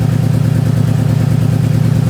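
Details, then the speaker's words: 2009 Subaru WRX converted from EJ255 to JDM EJ205, warming up, new plugs, good compression: lumpy, choppy idle that stumbles as revs settle, smoothing with a little throttle, raw fuel smell; misfire. "all you smell is raw gas and it [Applause] misfires this is Lally what it does"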